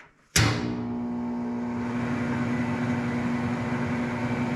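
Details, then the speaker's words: Lincoln Idealarc 250 welder cooling fan after regreasing dried-up bearings and fixing the blade hitting nearby metal: thump on spin-up, then a smooth steady whoosh and even hum with no scraping. Normal operation, much quieter than before repair. "That's a world of difference. That thing just sounds super, super nice. Yeah, that thing sounds fantastic."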